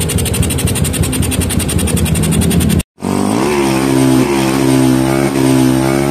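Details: Yamaha Jupiter MX with a PE28 carburetor, after carb setting for hard starting: an even idle thump, a short pause, then a clean climb in pitch as the throttle opens; normal running and revving.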